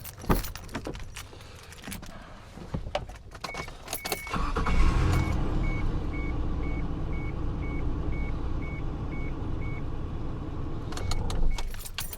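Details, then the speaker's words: Isuzu Trooper started on a small portable jump pack alone, vehicle battery fully disconnected: key handling and door chime, then a short crank catching at once into a steady idle; starts cleanly with no problem. "it actually started the trooper absolutely no problem whatsoever"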